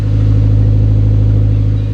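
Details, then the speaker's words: S15 Silvia with a VVL SR engine at its first startup, holding operating temperature before the first oil change: a deep, steady, even throaty idle with no misses or knocks. A normal, healthy idle. "really nice deep casual idle tone sounds really good"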